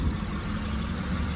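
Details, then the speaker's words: 2007 Honda Pilot engine idling while bleeding air from the power steering lines (noise had been caused by low fluid): even idle with steady low hum, no pump whine or groan; power steering pump working normally. "aquí tenemos la prueba de que se está trabajando bien"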